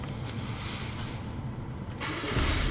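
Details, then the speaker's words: 1998 Saturn after a head gasket replacement, previously crank-no-start. The engine starts and settles to an even idle, then revs cleanly. Fuel trims are near normal, there are no codes, and the EGR is fine. "It seems to start fine and revs up fine. Trims aren't too far off."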